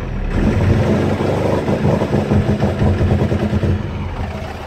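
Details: Cummins 12-valve diesel, rebuilt .040 over about 100k ago, injection pump about 20k ago: idle stays lumpy, stumbling and wavering. Misfire and rough idle that worsen after driving or revving; fuel parts already replaced, cause unknown.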